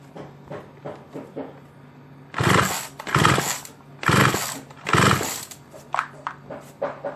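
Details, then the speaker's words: Small two-stroke chainsaw left unused for a long time, missing its top cover, plug cap and switch, with a new spark plug fitted. Four hard rope pulls spin it over, but it never fires or starts. "ٹھیک ہے، یہ اب بھی آن نہیں ہوگا"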